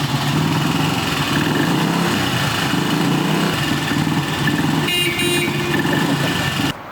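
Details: 1960s BSA 250 single-cylinder motorcycle, first startup after a late-1990s apartment restoration, in a parking garage: small single putters evenly and picks up cleanly when blipped, no misses or knocks; normal running.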